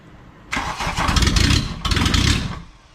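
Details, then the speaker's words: 1986 VW Jetta Mk2 1.6 turbo diesel, MF code, a barn find that had been sending oil out the exhaust, cranked with the throttle part open. Catches in two heavy, rough bursts, then dies. Hard start; injection pump timing suspected off, over-fueling. "all right so we think we just had the pump timing off"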